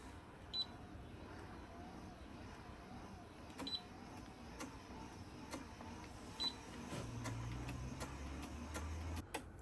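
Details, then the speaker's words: YoungFit electric under-desk elliptical running: low motor hum with sharp clicks about once a second from a loose strap bumping the housing; fixed by tightening the strap. "this actually strap is bumping against here so that's what that noise was that clicking so I just had to tighten this to get rid of that"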